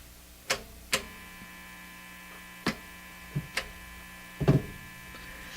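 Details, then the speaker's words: National HRO Sixty communications receiver with RF up: only a low steady mains hum and a few switch clicks, no audio. Hum is gone with B+ off, unchanged with AVC off, and the same in AM, CW, FM and phono. A defective or missing part is suspected. "So that's what I got last time. It's just this hum. Ooh, RF not turned up. RF up. Yeah, so that's about all we get."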